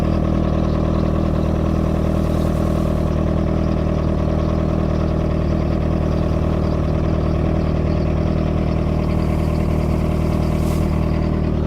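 Steady, even idle with a smooth low drone, no knocks or misses; outboard on a flush runs healthy with cooling water flowing.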